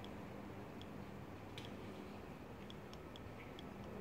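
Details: BMW S54 VANOS valve body being cleaned with brake cleaner, solenoid not yet worked: only faint scattered soft ticks, valve barely clicks, stuck by baked-in gunk and sludge that causes codes and improper VANOS operation.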